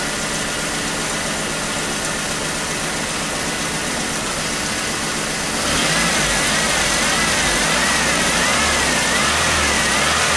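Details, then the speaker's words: 1996 Chevy S10 2.2 L, over 260,000 miles, after injector checks: better but still misfiring, regular stumble and exhaust popping persisting when revved; no longer an injector problem, a broken spark plug wire found as the likely cause. "well it's better but definitely there's still this fire it's not no longer injector problem something else is going on"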